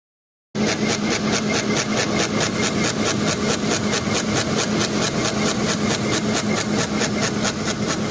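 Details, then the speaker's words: Electric engine cooling fan spinning fast: steady hum with rhythmic scraping swish about four times a second; fan out of balance and rubbing. "Ama tabii bu çok hızlı döndüğü için gelen cama sesi çok daha gürültülü oluyor ama sesimizin kaynağı bu bu hızlı döndüğünde bu sürtme sesi çok daha fazla çıkıyor"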